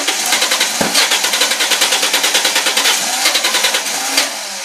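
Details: 2000 Ford Mustang 3.8 with new plugs, wires and battery, audible fuel pump, no codes and fuel-wet black plugs: starter cranks in a quick, steady rhythm with one brief cough but never catches. Cause unknown.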